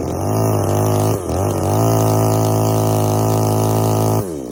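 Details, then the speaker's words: Strimmer two-stroke powerhead warming up after carb adjustment, high-speed screw at one and a half turns out (was five): buzzy steady high revs, one brief dip, then drops off; still way too rich on the high. "so a couple of things way too rich on the high so even at one and a half turns out on the high it's way too rich"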